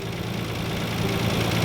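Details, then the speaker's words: 1993 Nissan R32 GT-R V-spec, RB26 engine with solid lifters, at idle about 10 seconds after a start: fast light tick over a low rumble from the cylinder head. Owner says it is not lifter tick; source unknown. "you can hear this ticking now I know the the rb26 they've got solid lifters I know they usually ticking louder than usual but this is not um lifter ticking so this is something else"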